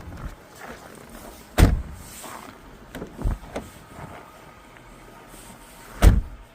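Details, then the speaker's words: Car door swings and shuts with a few solid thuds and no squeal or creak after WD-40 was sprayed on the hinges, which had been squealing. Finding: quiet door hinge, no squeal. "And that noise should disappear instantly. There we go. No more squealing"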